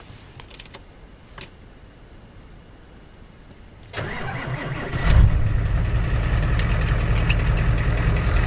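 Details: Ford 7.3 IDI diesel with an intermittent slow-crank problem, after positive battery cable replacement: a short crank, then it catches at once and settles into a steady, even low idle. It starts fine.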